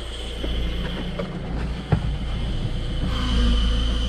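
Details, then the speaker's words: Peugeot/Citroën Berlingo 1.6 HDi (DV6) diesel at idle, before its clutch kit is replaced: a thin, steady high squeal from the failing clutch release bearing grows louder. Unusually, it is louder with the clutch pedal pressed than released. "Et ce qui est marrant, c'est que c'est l'inverse. D'habitude, c'est quand tu bray que tu entends plus la butée, mais là, c'est quand tu appuies."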